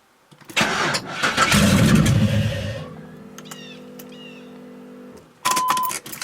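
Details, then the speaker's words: Budget 5.3 LS-swapped Firebird with a 700R4 after codes were erased; the VATS security engages, so the engine cranks, fires, idles about a second and then cuts out abruptly, an anti-theft start-then-stall. "but this is what it sounds like when your security is not working properly, or when your security comes in, turns on, or whatever."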